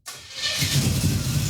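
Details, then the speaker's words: Junkyard Chevy Tri-Five with makeshift exhaust of dryer ducting, hose clamps, aluminized tubing and two Holden Monaro mufflers, heard at idle; quick start settling into low, even rumble, not harsh or raspy, much quieter; exhaust sounds healthy and well muffled. "oh much better much better yeah success it sounds quite good it's got a little Rumble yeah"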